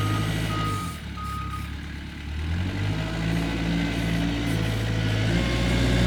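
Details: Kubota 520 hydrostatic wheel loader, tested after a wiring-harness repair for being stuck in low range. The diesel pulls smoothly under load in reverse, with the alarm beeping about four times a second and no groaning or surging; the drive is normal.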